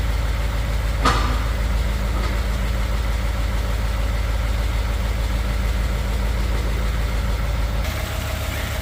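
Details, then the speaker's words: 2015 Ford F150 cold start just after an oil change to 20W50 VR1 conventional (replacing Valvoline Restore and Protect), microphone on front of toolbox: fast light tick about three per second heard by the exhaust, not the engine, which stops after warm-up. "It's got the little coyote tick that's going on, which happens all the time. Here in a minute or two it'll go away. You don't hear a coyote tick from the engine, but you hear it by the exhaust."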